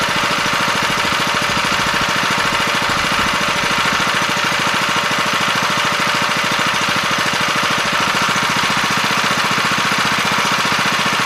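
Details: 7 HP Kohler air-cooled engine on a small hydraulic power unit, after carburetor cleaning and idle/mixture set by ear: steady even beat, no misses, surges or knocks; running smoothly.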